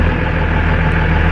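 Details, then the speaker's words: 2nd-gen Dodge Cummins diesel pickup, about 20 years old, getting Carli extended control arms: deep, steady, even rumble with no misses or knocks, "she's purring"; normal idle. "Woo! She's purring."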